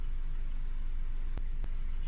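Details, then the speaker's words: Warmed-up 4-cylinder car at idle before a cylinder drop test: low, even idle with a steady pulse and no skips or misses; two sharp clicks from handling; engine healthy, no cylinder problems. "I'll go ahead to start the car. So I've already warmed this up."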